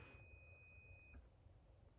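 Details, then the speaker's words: Stop-button continuity check on a Big LeBlond's power box before first power-up: the steady continuity beep from the start circuit cuts out cleanly when stop is pressed, then returns, confirming the stop button opens the coil circuit and drops it out. "it stops. And that breaks the voltage going to the coil and drops it out."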